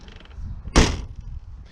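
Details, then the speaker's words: VW Polo MK2 coupé, about 124,000 km: door shuts with one solid, clean thump, no rattle, creak or second knock; hinges often wear on these but are perfect on this one; normal door closing. "Not all of them close like this. It's a problem that the hinges wear out, but on this one, they're just perfect."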